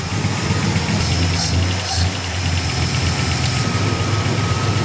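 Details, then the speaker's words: 1965 Plymouth Satellite 383 with new Edelbrock RPM intake and Quick Fuel carb with electric choke, just started, idling before warm-up, air-fuel about 13 then mid-12s, after a loose plug wire was refitted: deep, steady V8 rumble with an even beat, no misses or knocks; normal idle. "yeah she's idling uh let's see you guys can ever see the wide band here but I'm going to let her get hot"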